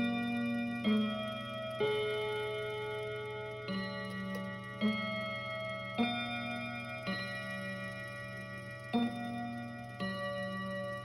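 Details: Kienzle Westminster chime mantel clock, after resetting the chime barrel: notes ring at roughly one-second spacing but the tune is still out of order; small cog suspected hooked on the wrong tooth.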